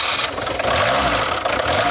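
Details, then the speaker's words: VW T25 camper van diesel after a no-start traced to the glow plug relay; short crank, then catches and settles into a steady even idle, very smoky as ever; normal diesel start. "Yay. As smokey as ever. But it starts."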